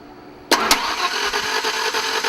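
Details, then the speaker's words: 1992 Ford Ranger on its first start attempt after an upper engine rebuild: one sharp pop or click, then rough running, and it sounds like it isn't getting compression. "something's wrong all right guys we got a problem something clicked and it doesn't sound like it's getting compression"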